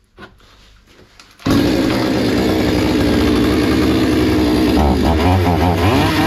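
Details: Hyundai 650 two-stroke chainsaw after repair (fuel adjustment opened slightly after it was starving): fires up and holds a steady, even high-pitched buzz with no stumbling or surging — normal running.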